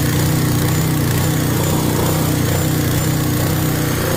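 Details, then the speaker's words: Ford 6.9 IDI turbo diesel with no compression, extra diesel going in: deep, heavy clatter over a rough low rumble, about two knocks a second; fuel knock from overfueling. "There's a lot of extra compression there."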